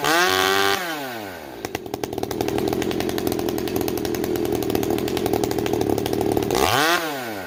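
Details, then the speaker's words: Stihl MS390 chainsaw with Ironhorse straight-pipe muffler, rings not yet seated. Revs up, then settles into a steady, even buzz with slight rise and fall. Normal idle, fluctuating until the rings seat. "Neighbors, what we do is we're going to idle it through an entire tank and babysit it and make minor adjustments as we need to, because until the rings are actually seated, this thing will fluctuate. You will hear it fluctuate up and down as the rings start to seat."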